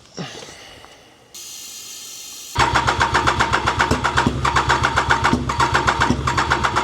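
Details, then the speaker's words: Triumph Daytona 955i with water-contaminated fuel, running on starting spray: after cranking it catches into a ragged pulse about four times a second; owner suspects injectors not working and oil-fouled spark plugs. ">> It could be that the injectors aren't doing their job."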